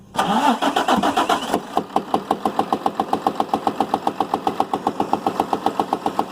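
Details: Damaged 6.7 Cummins diesel (rear gear-driven, medium-duty) bench-run outside the truck with no Ford OEM wiring, only 3 wires and a starter button, to judge if it's worth rebuilding; cranks briefly, catches, settles into a steady, even idle with no misses or knocks.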